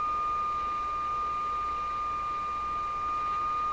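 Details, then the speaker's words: Rogers 11RA651 shortwave tube radio fed an unmodulated signal: steady pure whistle around 1.2 kHz holding level with faint hiss; shouldn't be heard, lines up with the received signal, cause unknown. "Okay, so this is an unmodulated signal being sent to the radio. We should not hear this tone. The tone is being caused by something I don't understand what it is."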